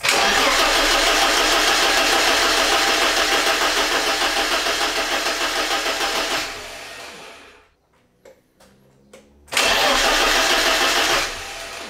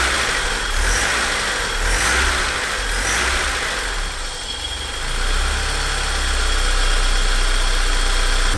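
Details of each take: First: BMW E30 316 with the M40 petrol engine, first start attempt after about 18 months: oil pressure light goes out, but it cranks fast repeatedly without firing; fuel pump wiring is suspected. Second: BMW E30 316 with M40 engine started after about 18 months laid up: runs steadily at a smooth idle with a gentle rev partway, settling evenly.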